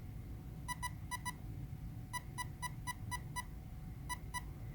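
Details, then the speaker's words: Castle Creations brushless ESC manual programming on a Traxxas setup, motor-direction menu: six short evenly spaced beeps, then two short beeps selecting option two, reverse motor direction (normal is default). "short beeps followed by two short beeps would be reverse option so we'll select that here"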